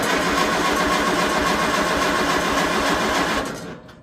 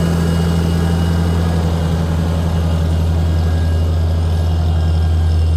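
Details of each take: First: Tractor sitting over a year, choked, out of gear: steady cranking about 3.5 turns a second with no firing; tank found empty, out of gas. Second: Farmall tractor, 12-volt six-cylinder petrol, running Autolite 386, first start after sitting over a year, choked, on battery tender; earlier slight sputter, possibly moisture in gas, now a smooth, even drone without misfires or knocks. Running well.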